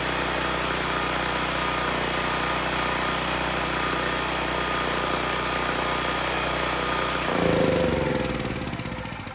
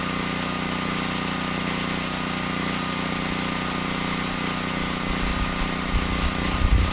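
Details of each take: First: Generac XG8000e generator with a 407cc GH410 engine and clone carburetor, with a light load plugged in: the engine runs even and steady for several seconds, then cuts out and winds down. The engine sounds healthy, but the generator makes no power; the AVR is suspected. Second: Generac XG8000e generator, 407cc GH410 engine with clone carburetor, after an AVR swap: hard to start and running thin and slightly uneven with rough bursts, lean; partial choke smooths it, so the carb needs reworking.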